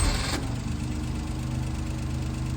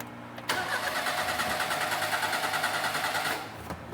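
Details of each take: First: 1988 Daihatsu Hijet mini truck, long-stored, hot restart with no pedal pumping: short crank catches almost instantly and settles into a steady, even idle, a clean normal hot start. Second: 1988 Daihatsu Hijet mini truck, sat for years, new plugs, wires and cap, carburetor rebuilt: catches and runs roughly about three seconds then dies into weak coughs; carburetor flooding, kit O-ring possibly wrong size.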